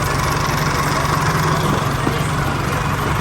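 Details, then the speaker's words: Isuzu 4JK1 diesel rebuilt after stuck and dead piston rings, freshly refilled with oil and coolant: steady, even idle with a smooth low thrum and no knocks or ticks; very quiet and healthy. "นี้เสียงเครื่องเงียบกริ๊บเลยนะ"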